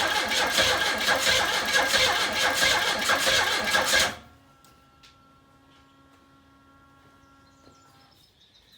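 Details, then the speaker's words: Fuel-injected 1984 Pontiac Fiero pulled from junk: steady rhythmic cranking at about ninety-odd beats a minute with a few catches that never take. It fires but won't start; the owner suspects mechanical issues or timing that is far off. "unfortunately this is about exactly what it was doing before it'll fire but it won't snort enough to fire up cuz why would it that would be too easy"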